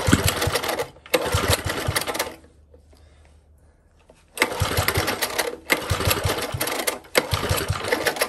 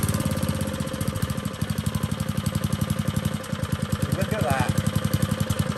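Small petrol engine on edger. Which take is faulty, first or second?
first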